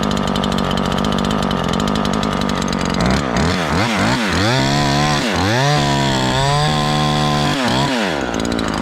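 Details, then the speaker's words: Ported Husqvarna 543XP chainsaw after leaning the main jet, tested with the cover off: screams at full throttle through short cutting bursts, still a hair rich. Expected to richen further once the cover goes back on. "That's about where we'll leave it for a few cuts. It's still a hair on the rich side, and it'll probably enrich it up once we get this cover back on."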